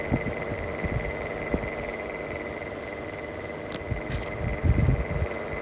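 A constant mid-high whine with irregular low throbbing thumps underneath; it sounds like a worn bearing in the fan motor.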